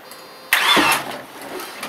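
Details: Car battery rejuvenated from 0.75 volts, car with rear brakes seemingly locked: short starter whirr turning the engine over, nothing catches; cranks but won't start.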